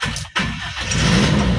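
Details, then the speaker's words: Toyota Kijang Super G after a half engine teardown and rebuild, coolant and oil refilled: brief crank, catches at once and settles into steady idle, no longer limping as before; normal start. "Langsung hidup ya teman-teman dan sudah nggak pincang kayak kemarin"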